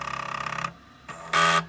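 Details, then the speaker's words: MicroMate PMC-101 floppy drive on reset: fast run of even ticks about forty a second, pause, then short steady buzz as heads step toward an inner track and back seeking track zero; normal head seek. "and then bring it forward again seeking track zero"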